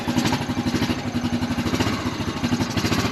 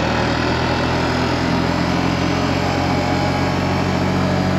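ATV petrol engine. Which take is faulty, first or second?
first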